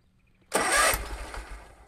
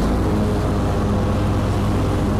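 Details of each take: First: Kubota Z122R mower after new carburetor and fuel filter, one short crank and sputter that dies within a second; fuel filter seen dry, fuel pump not pumping; fuel pump failure. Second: Kubota Z122R mower after new carburetor and new fuel filter, cutting grass: steady, even drone with a firm low hum under load, no surging or hunting; healthy running.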